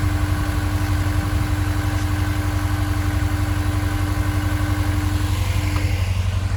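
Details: Honda S2000 after fitting a new Gates accessory belt (6PK1460) to cure a squeak: even, steady idle with a smooth pulse and faint constant tone, no squeal or chirp from the belt drive.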